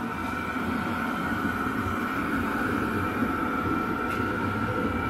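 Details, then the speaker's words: Chinese diesel heater fitted with a new low-noise fuel pump, running off a car battery and fully up to speed: steady, even fan rush with a faint pump tick that is low compared with the fan. Normal running. "Actually pretty low in comparison to the actual fan noise. It is there. I'm not sure there's a big advantage between the two, if I'm honest, at this stage."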